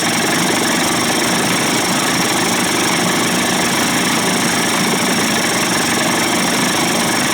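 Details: Johnson/Evinrude 25 to 35 hp two-stroke outboard conversion, idling in a test barrel after low-speed timing sync, fuel pump and bypass cover swap, loose mounting screws tightened; steady, even buzzing idle, no misses or knocks; sounds healthy.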